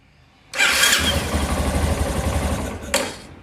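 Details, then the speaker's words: 2015 Yamaha Tenere 250 starter motor: sharp snap on engagement, single runs, another snap at switch-off; lubrication first suspected, disassembly found a magnet loose in the housing; starter motor snap from loose magnet. "motor de partida tá fazendo uns barulho meio estranho na hora da partida da um estalo no início e ao desligar a moto da outro estado eu acredito que seja unificação"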